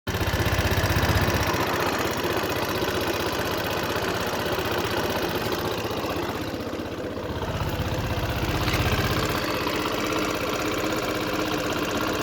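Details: Cold Yamaha Xmax 125 scooter at idle: small fast, fairly regular ticking about four per second riding on the idle, source unclear, suspect noise. Cold engine noise.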